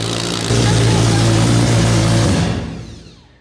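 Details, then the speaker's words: Billet four-rotor rotary engine on open headers, fired by an Adaptronic M6000 ECU, at first start: loud, steady, even idle with a deep buzz and no stumbles, then cut off and winding down; normal stable idle. "That's just open header, four rotor. Just pretty good. It sounds awesome. It was stable."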